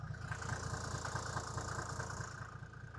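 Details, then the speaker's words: Cold start at about 5 degrees of a 1993 Mercedes-Benz G350d converted to G300 turbo diesel with a newer OM606 engine (replacing the failed OM603) and stainless TIG-welded exhaust; even, steady diesel clatter at about two to three beats per second, a healthy cold idle. "It does diesel things. It works, which is a huge step and improvement from when it came in."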